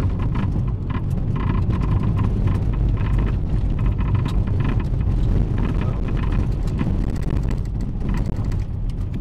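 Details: Toyota Celica All-Trac while driving, before front axle replacement (which didn't fix it): irregular sharp clunks in bursts over road noise, getting worse; drivetrain clunk, cause unknown.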